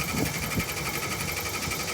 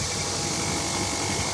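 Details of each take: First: Air conditioner outdoor unit, cover off: fan spins with a thin high tone but no compressor hum; compressor not starting, suspected broken wire and burned-out capacitor, to be replaced. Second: Panasonic air conditioner outdoor unit, previously not cooling, after replacing a rusted capacitor plug with a broken wire: steady fan rush with a faint even compressor hum underneath, no rattles or buzzing; running normally.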